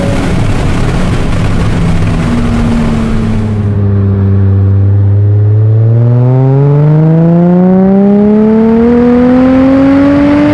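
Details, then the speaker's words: Aston Martin DB7 V12 revived after storage-damaged engine, sport exhaust fitted: smooth, strong note climbing steadily to the red zone without misfires, knocks or flat spots; healthy full-throttle acceleration. "I'll try to show you what a good acceleration sounds like Acceleration to the red zone"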